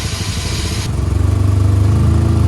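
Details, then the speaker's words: 2004 Chevrolet Malibu Classic right after restart: lumpy, loping pulsing idle, not running on cylinders 1 or 4, stalls when given gas; misfire cause unknown. "This thing doesn't really idle. You can hear that kind of lopey cam. Well, it's not a cam. It's not running on 1 or 4 cylinders."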